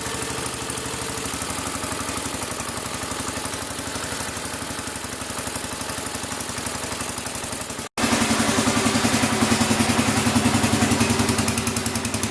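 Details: Massey Ferguson 14 garden tractor, Kohler K321 single-cylinder, after carburetor repair: steady even chug of about three and a half firing beats a second with no misses or backfires. Normal running.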